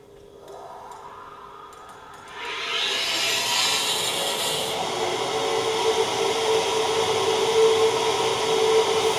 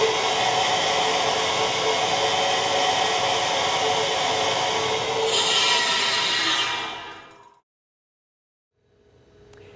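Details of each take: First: Standard equal percentage control valve trim at about 1500 psi inlet and 150 psi outlet, vena contracta below vapor pressure: loud rushing hiss with gravelly crackle and steady mid tone; cavitation noise and vibration, reduced by Cavitrol III two-stage trim. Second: Control valve with Cavitrol III two-stage trim at about 1500 psi inlet, 150 psi outlet: steady even high-pitched flow hiss with no cavitation crackle, far quieter than standard trim, then cut off.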